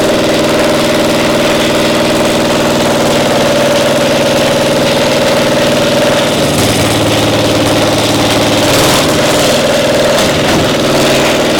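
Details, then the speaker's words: Caterpillar Diesel 70 two-cylinder gasoline pony starting motor: loud uneven stumbling run with shifting pitch, one cylinder firing only intermittently despite good blue spark; spark plug suspected. "It's hitting intermittently like it's a spark. It's got a nice array of blue spark there, but it's not hitting every time."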